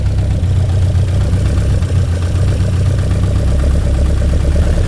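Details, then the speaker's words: 1966 Lotus Elan twin carburettors being tuned by ear with a hose: low, slightly uneven loping idle, weak intermittent pulse on some carbs; linkage out of adjustment, idle bumped up but still not enough; carburettors out of balance. "So the linkage is out of adjustment. So I'm just going to bump this up a bit, and this should make a difference immediately. Still not enough."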